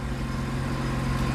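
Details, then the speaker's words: Mazda RX-7 FD rotary after fitting Apexi Power FC to cure idle and 3k rpm backfire issues: steady, even idle around 1,300–1,400 rpm, smooth hum with no misses or pops; no smoke; normal idle. "sounds good 1,300 RPM 1,400"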